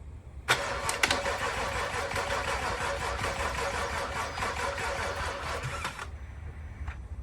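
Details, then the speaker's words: BMW F25 X3 xDrive35i, first start after engine replacement: sluggish starter cranking, about two compression beats a second, dragging for several seconds without firing because the battery is dying. "battery is dying. Turn it off. Let's try it again."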